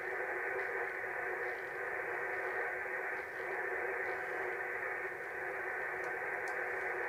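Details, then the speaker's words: Radio receiver near 29 MHz: steady rough hiss with no signal underneath; electrical interference from a switched-on soldering iron. "Oh, it could be me soldering iron. There you go. Me soldering iron, guys. How about that? Hey shows how dirty modern electronics is, doesn't it? You know, you turn your soldering iron on, it does that."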